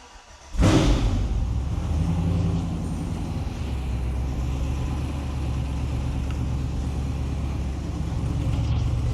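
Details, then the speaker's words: Rebuilt LQ9 V8 with 243 port-and-polished heads and block bored 20 over, first start: catches and settles into a lumpy, uneven low rumble; rough running, cause not yet known. "It's still rough, but I think we got a runner."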